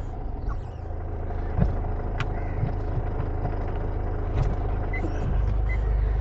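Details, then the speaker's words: Hyundai Verna, diesel, used car in reverse gear: steady low diesel idle with faint reverse beeps, no whine or clunk from the gearbox; no engine warning on the meter, running normally. "বেকৰ sound আপোনালোকে শুনি আছে ধুনীয়া কোনো ধৰণৰ অন্য sound নাই"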